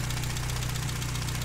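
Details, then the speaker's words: 1959 Triumph TR3A idling during a pre-purchase inspection: steady, even low idle with a smooth rhythm and no deep metallic knocks from the top or bottom end. The idle is described as running really nice, a healthy warm engine. "not hearing any abnormal engine noises like any deep metallic noises coming from the top or bottom bottom in"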